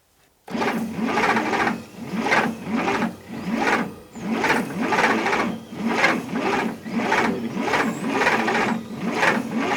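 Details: 1960 Bombardier J5 not run in 20 years, key switch bypassed with power direct to coil, spark present, fuel put in cylinders and intake: slow labored cranking, no start; owner suspects plug wires misrouted, distributor timing off or rich mixture.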